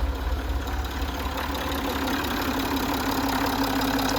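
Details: Citroën/Peugeot 2.7 V6 HDi diesel, 207 hp, just after fuel filter replacement and self-bleed by ignition priming; starts instantly, steady even diesel clatter at idle with no stumble; normal idle.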